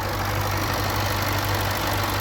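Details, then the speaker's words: Supercharged V8 Range Rover LWB just after replacing all eight fuel injectors: steady, even idle with no misses, knocks or hunting; gasoline smell gone, some residual smoke, owner hoping it clears on a drive; engine sounds right. "there he is the engine sounds right we'll give it what's known as the Italian tune-up just drive it a little bit and see if that smoke pretty much clears"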